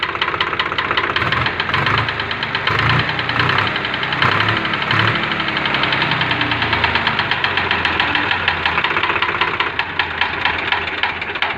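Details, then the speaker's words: Swaraj 735 tractor diesel that overheated and seized, idling: loud, harsh rapid knocking from a scuffed piston against its liner; engine to be opened, piston no. 2 expected to be seized, possibly others. "है तो आपने उसकी आवाज सुनी इसका यह जो number piston है इस चीज निकलेगा"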